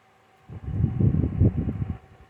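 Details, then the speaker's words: 2014 Lasko 16-inch table fan 2506 after motor replacement and cleaning, on low: soft, even whooshing airflow from slowly turning blades with no rubbing or ticking, though still a bit fast. Normal low-speed running. "And you could actually hear how slow this is running. So, but still a bit fast."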